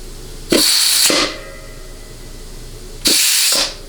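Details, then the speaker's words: 700R4/4L60E transmission, air-checking the low-reverse clutch circuit: two sharp half-second hisses while charging, air escaping at the nozzle because it wasn't fully seated in the case, not a circuit leak. "Now, we may get a little bit of hissing coming out of the back of the nozzle. Unfortunately, that's normal, but at least with this nozzle, but we should not have hissing when we're charging the circuit."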